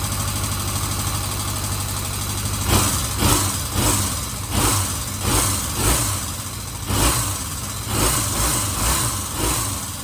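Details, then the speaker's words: 1977 Kawasaki Z400 motorcycle after carburetors refitted to cure vacuum leaks, choke about half on, warming up: steady low idle rumble with several quick revs settling evenly; running properly. "So that's it. She seems to be running okay. I'm pretty happy with that."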